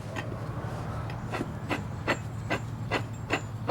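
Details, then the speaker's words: Lexus GS 350 water pump removed and spun by hand: rough rumble with sharp clicks about twice a second as the worn bearing grinds; the pump was also leaking from its weep hole, being replaced with new pump, transfer plate and gaskets. "So it was making this rumbly noise."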